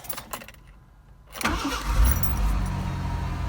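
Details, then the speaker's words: 1988 Ford Ranger 2.9L V6, first start after replacing the externally mounted starter solenoid and adding extra grounding: brief crank, then it catches cleanly and settles into a steady, even idle; starts normally. "All right. Runs. Let's try it again. Beautiful."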